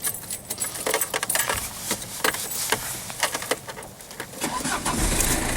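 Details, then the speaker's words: Citroen BX 17 diesel, cam belt changed a few hundred miles ago, new clutch about 10,000 miles ago: keys rattle, starter cranks briefly, diesel catches and settles into a steady clatter; starts cleanly and sounds healthy. "Okay, let's start the car up so you can hear it starts up alright."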